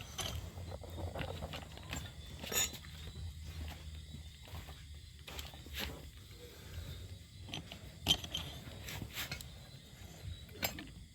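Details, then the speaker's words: Yamaha Mio/Nouvo/Fino belt-drive carbureted scooter on centre stand, frame rocked side to side: scattered sharp metallic clunks from loose, worn left and right engine-mount pivot bearings, causing body and engine to lean apart and rattle while riding. "ลูกปืนตัวนี้มันโยกได้หลวมได้นะครับมันก็จะทำให้คอนคอนไปมาได้"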